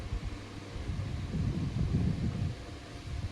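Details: Table fan after home core coil repair (fan previously wouldn't run; screws tightened, tested): low, even rush of air with no rattle or buzz, though wind on the mic covers detail; fan now runs normally.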